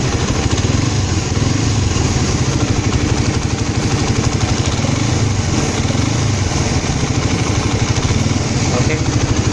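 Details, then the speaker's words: Suzuki Satria FU fuel-injected motorcycle, almost 6 years old with 75,000 km, after DIY routine service: steady, even putter at idle, smooth unbroken rhythm, no knocks or misses; normal healthy idle. "Masih cukup halus kan suaranya untuk ukuran motor dengan usia ya hampir 6 tahun, udah kilometer 75.000,"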